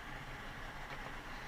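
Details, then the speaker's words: 2012 Chrysler 200 Limited petrol engine idling very rough with check engine light on: uneven stumbling low rumble; misfire, likely a bad ignition coil, unconfirmed. "not complaining of that but it is running very rough as you can see the check engine lights on"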